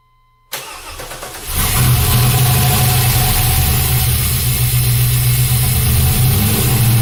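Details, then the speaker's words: LS1 V8 swapped into an S10, running: starter catches, then a loud, fast, steady idle well above normal and a smoky engine, because the coolant temperature sensor was unplugged. "and it was idling very, very high. Turns out I did not have my water temp sensor actually plugged in,"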